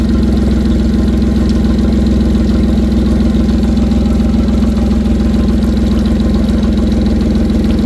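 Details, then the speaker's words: Suzuki DF40A outboard after new plugs, coil packs, fuel filters, three injectors and fuel line, which had a miss when dropping to idle: steady, even low drone, no misses or knocks; idling cleanly. "Sounds all right. >> Yep. Sounds good."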